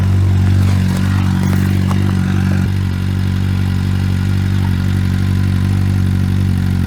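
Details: Suzuki motorcycle, cold after winter storage, old fuel in tank, running on part choke: steady low burble with slightly raised, even idle and light clatter on top; sounds fine.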